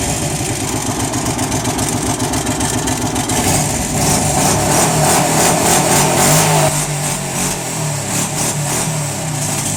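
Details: Arctic Cat 650 V2 V-twin engine running and revving: loud, harsh, rapid mechanical clatter that swells with revs; abnormal engine noise, source unclear.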